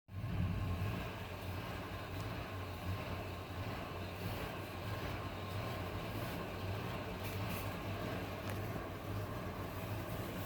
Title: 2000 ford 5.4 cold rough idle